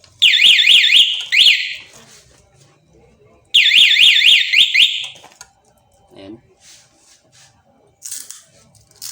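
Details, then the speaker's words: Honda XRM 125 motorcycle anti-theft alarm, newly wired and tested with its remote before the starter wire is connected: loud warbling high siren sweeping about four times a second in two bursts; alarm working normally. "Testing natin guys. Yan yung remote niya guys. Yan, testing na natin. Pag ilak natin guys, ito yung tunog niya guys."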